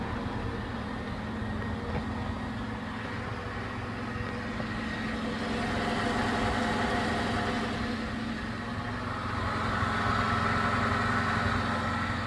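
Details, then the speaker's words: Engine after a Suprotec additive treatment idles evenly with a smooth low rumble, and the earlier knock is gone. Normal idle. "Все, тишина."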